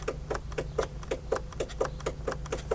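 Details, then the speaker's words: 2004 Polaris Sportsman 600 Twin ATV, parked for most of its life: sharp, regular clicks about every quarter second with no cranking; starter motor stuck, solenoid clicking. "click you hear it come on I guess we better address that starter stuck where is that thing"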